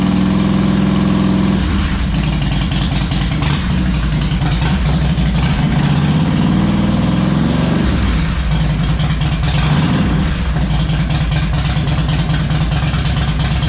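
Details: Harley Electra Glide owned almost five years, after new spark plugs, a cleaned air filter and fresh oil, not yet warmed up: V-twin catches into an even, loping idle with a brief blip, no knocks or misses; normal idle.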